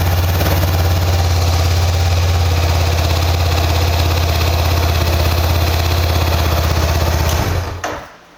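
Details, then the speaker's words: Honda CBR500R twin with 91 km on the odometer: starts first try, steady even idle with a smooth beat and no ticks or knocks, then switched off; healthy engine. "주행 거리가 짧기 때문에 일발 시동 당연히 걸리고 엔진에서도 지금 들어보시면 잡소리 없이 깔끔한 컨디션을 가지고 있습니다"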